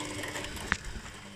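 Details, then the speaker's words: Washing machine with a drive belt over 10 years old: short sharp creak and faint squeaks only as the drum starts turning at low speed, either direction; cured by spraying Hi-Gear HG5505 belt conditioner. "И этот хруст появляется только в тех случаях, когда машинка начинает только стартовать. И этот хруст получается на маленьких оборотах."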